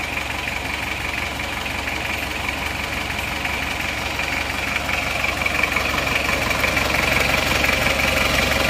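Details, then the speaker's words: Isuzu Panther 2.3 diesel, warmed to working temperature: idle with a rough, regular clatter near three beats a second and hissy chuffing, smoke from the oil filler; worn piston rings with heavy blow-by, before NPR liner and ring replacement. "Tapi tentu saja kalau ngobos itu saat baru start sudah kelihatan, dan setelah panas lebih parah."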